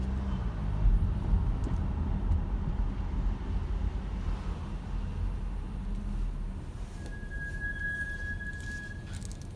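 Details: Low road rumble, then a thin, steady high-pitched squeal for about two seconds as the brakes come on; squeals every time the brakes are applied.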